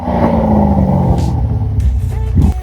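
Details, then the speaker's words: Chevrolet Corvette Stingray 3LT 6.2 L V8, rebuilt after a wreck, sport mode with exhaust valves open; deep throaty rumble rising and falling smoothly with throttle blips, slight burble; healthy engine, loud open exhaust. "The car sounds really good with the exhaust valves open. Much more aggressive in sport mode. That sounds cool. Got that 6.2 liters of American freedom."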